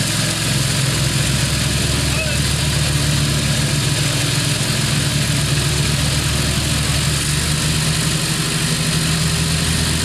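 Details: Craftsman LT2000 lawn tractor, Briggs 17.5HP, test drive after cleanup and repair: even steady low engine drone, no misses, knocks or surging; engine running smoothly.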